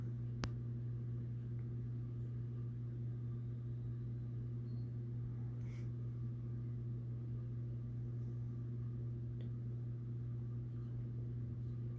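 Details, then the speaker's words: CEC (Commander Electric Corp.) 52" hugger ceiling fan on low speed: steady low hum with a faint wavering warble; owner plans to oil it again, cause of warble unclear. "as you can hear already has like a watering sound oh that's a nice low speed"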